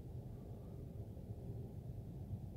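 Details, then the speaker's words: 2004 Dodge Ram 1500 SLT 5.7L Hemi after replacing alternator whose bearings were noisy: quiet, smooth low rumble with no whine or bearing growl; normal idle. "so there's no more noise uh coming from the alternator so i guess uh this would be the pick"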